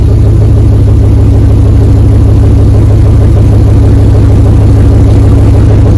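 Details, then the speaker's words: 2004 Dodge Ram 1500 Hemi 5.7 V8 after muffler and resonator delete, straight pipe fitted. Deep, loud, even rumble with a steady beat, no ticks or misses; normal idle with straight-pipe exhaust. "put a straight pipe right here right there all right just gonna start the car so it will be loud"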